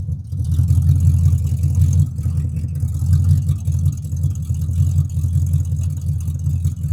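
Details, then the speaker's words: 1942 Ford jailbar pickup with a 5L 302 EFI V8 from an AU Falcon, new oxygen sensor and twin-muffler exhaust ending after the diff, started after sitting on an 11.4 V battery: deep, throaty, lumpy but steady idle with no knocks. Sounds healthy. "so let's see if it starts it's only got 11.4 volt so it's been sitting for a while yeah sounds pretty good"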